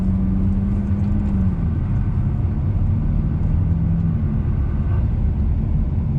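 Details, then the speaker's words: Volvo S60 T6 test drive after replacing the lower control arm: steady road rumble and engine drone with no front suspension clunk where it usually clunked already. "This road here next to my house isn't quite straight, so we'll see. Okay, no clunking noise so far. Usually already clunk."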